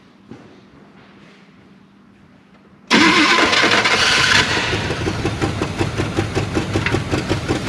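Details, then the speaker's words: 1975 Chevy K10 square body half-ton sat 18 years, fuel tank apparently empty: silence, then catches on starter fluid/carb cleaner and roars up, settling to a loping idle, smoking from tailpipe; runs only on starter fluid. "i think she's plum empty [Music] but man she sounds good look at all the crap we're shooting out the tailpipe man"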